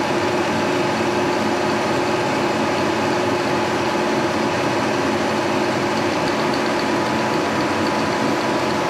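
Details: 1943 Brown & Sharpe No 2 Plain Standard mill, about 80 years old, head swung horizontal cutting an aluminum block on the side: steady even mechanical hum under cut, no knocking, chatter or grinding; running normally.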